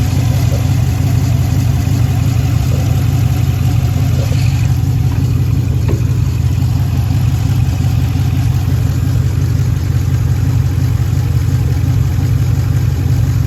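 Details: 2013 Jeep Grand Cherokee, code P0305, heard at the exhaust with smoke: heavy uneven idle thump stumbling about three times a second, cylinder 5 (left bank) misfiring from a bad lifter and camshaft.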